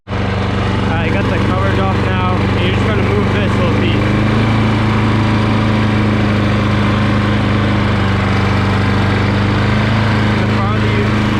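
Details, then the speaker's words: Push mower that sat for years, after carburetor and gas tank cleaning, idle speed raised from too low: steady, even low putter at constant speed with no surging or misses. Normal healthy idle. "the farther you pull it out uh the faster the rpm will go that sounds right to me"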